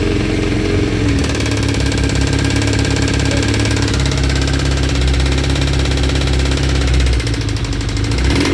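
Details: 1992 Suzuki GSX-R 1100 at steady idle: dense rapid mechanical clatter over the exhaust note; abnormal engine noise, source not identified.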